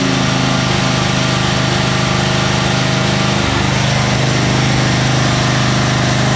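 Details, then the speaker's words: 1991 Craftsman LT4000 barn-find lawn tractor on first start-and-drive test after restoration: the small engine runs hard, then hunts and surges; the tractor lunged forward and the drive belt popped off the engine pulley. "surging woo uh lunged forward and then I lost the belt it seems like"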